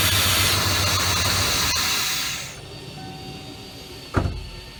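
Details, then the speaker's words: 1995 Ford F150 being Seafoamed through the intake, with the brake booster vacuum line removed; a loud sucking hiss over an uneven, poor idle from the deliberate large vacuum leak. "So this is going to run piss poor. Hear that big vacuum leak."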